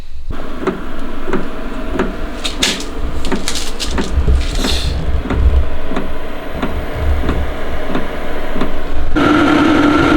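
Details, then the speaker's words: Webasto air heater in a leaky, roughly 30 m² metal garage, intake inside and exhaust out a chimney: steady low blower roar with faint, even ticking about three times a second; runs normally but heats slowly (about 10° in 1.5 h), loud blower. "Przede wszystkim długo nagrzewało, słychać było takie tą dmuchawę, co na minus."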